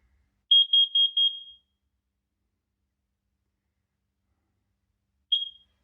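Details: Kidde carbon monoxide alarm with digital display, new unit activated by mounting plate and tested, reading 0: short burst of four high beeps, then a single chirp seconds later; normal alarm test beep.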